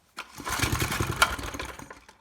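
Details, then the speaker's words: Maxim mini tiller found at the dump, primed with gas down the carburetor: catches on a few ragged pops, runs unevenly about two seconds, then dies. Suspected fuel starvation, carburetor rebuild needed. "so really seems like it's got fuel starvation issues so that's just the carb rebuild away"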